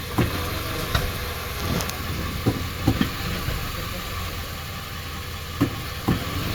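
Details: 2019 Nissan Sentra CVT idling with a low steady rumble, broken by sharp irregular clunks when shifted into reverse.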